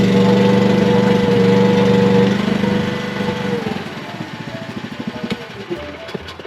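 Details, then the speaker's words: Chinese mini excavator diesel after replacing a faulty battery disconnect switch: hydraulic cooling fan audible, engine runs smooth and even for a few seconds, then winds down through slowing chugs to a clean stop. "Instantly, we have our lights. I can hear the fan running for the hydraulic cooling. And We got good ignition."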